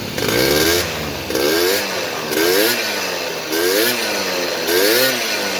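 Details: Honda AF28 scooter with 48 mm big-bore piston, stock carburetor and stock exhaust, stumbling complaint after repair: five crisp blips about once a second, revving up smoothly and dropping back with no stutter or misfire; clean pickup.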